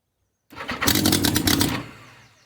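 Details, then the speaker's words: Abandoned Yamaha XJ 900F four-cylinder motorcycle, believed 1980s, first start after long storage with exhaust not properly fitted: short crank then a loud ragged burst of firing; it fires up readily but is very loud. "up oh well she wants to fire that's for sure Jesus there's something coming out loud"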